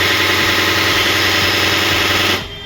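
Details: HP LaserJet 1020 printer: harsh rattling grind for over two seconds at switch-on, then cuts out; gears slipping.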